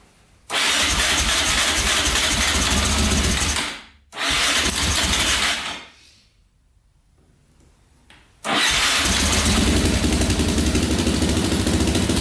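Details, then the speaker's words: 2004 Yamaha Raptor 660 quad, choke pulled manually, carbs still uncleaned: engine catches, cuts out twice, then holds a quick, even idle with no hissing; owner says it idles perfectly, no air leaks suspected. "Alright, awesome. Got this thing to run. That was sweet."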